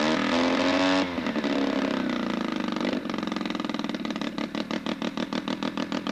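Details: Sachs Wankel 303 rotary with a 1000cc Mikuni carb and points ignition, cranked at idle since it has no reed valves, muffler off. Starter whir gives way to a rapid, fairly even popping beat and a steady idle.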